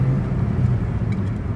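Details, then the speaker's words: 2015 Hyundai Elantra after transmission replacement, accelerating on the road: strong pull with steady low drone, no whine, clunk or slip; shifting well, transmission sounds healthy. "everything's perfect it's shifting good i don't hear anything"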